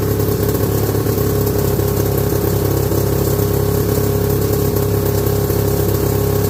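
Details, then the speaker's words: 1969 or 1970 Sears snowmobile with a single-cylinder Kohler two-stroke, left sitting outside about a year, on its first run after revival: busy, raspy idle with slightly uneven firing. It is sucking air, so it runs lean; rough idle. "yeah we're sucking air there so she's running lean this is being open so yeah a pretty good first run"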